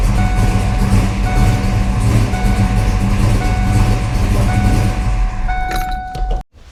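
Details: 1992 Ford Mustang LX, 434 stroker with MSD ignition, after swapping a faulty red top battery for a Motomaster Eliminator to cure low-voltage cutoff: strong, steady run with even firing, no stalling, then shut off; partly masked by a tone; normal.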